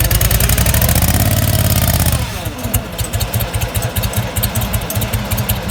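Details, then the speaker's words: Old Bobcat 643 skid steer fitted with a lawnmower engine with an electric fuel pump, unstarted for two to three months: it catches and runs hard for two seconds, then sags into slow uneven chuffing and fades. It is out of fuel. "yeah it is out of fuel that's what the problem is"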